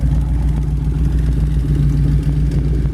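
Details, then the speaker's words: 1932 Ford Tudor resto rod with GM 400 cubic inch small block, 200R4 automatic overdrive, 3,898 miles since built, exhaust exiting both sides: deep, steady V8 burble with even low pulses, no tapping or misfire; normal idle. "let you hear it run the exhaust comes out a nice spot right there on both"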